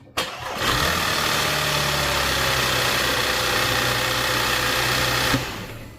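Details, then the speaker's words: Audi A5/A6 3.2L petrol engine, first start after major repair for internal coolant leaks, oil pan redone: brief crank, catches cleanly, steady even idle about five seconds before shutoff; no leaks or engine lights, healthy start. "all right guys so you can see it started double check again make sure no fluid leaking out or smell or anything oil pan looks good"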